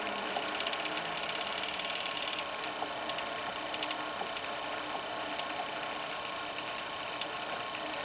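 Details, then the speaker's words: VCR rewinding an old VHS tape that previously snapped, nearing the beginning: busy high whir with fast light ticking and a slowing pull, the transport motor really struggling through sticky tape before it finishes; cause suspected. "I think this is going to be a success. Boy, it's really struggling. Oh, it made it."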